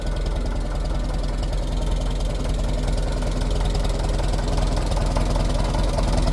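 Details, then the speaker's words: Fully restored 1958 Farmall 450 tractor after a tear-down, engine tune-up and repaint: a steady, even, low thumping idle of about three and a half beats a second with no misses or knocks, sounding perfect and running well. "Well, here she is all finished up. Sounding perfect. Running really good."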